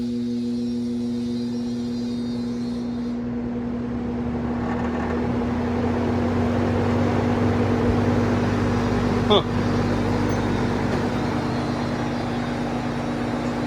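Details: Vintage Sears box fan, free find, original cord, first plug-in on high: steady droning hum with a low rhythmic flutter; it runs, but owner suspects a failing motor or switch, possibly burnt windings.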